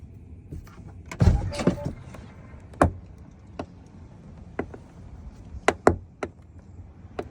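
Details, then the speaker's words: 2014 European-built Tesla Model S: sharp popping and cracking as the door opens, coming from a worn upper door hinge. "Um when you are opening this door it makes the popping noise."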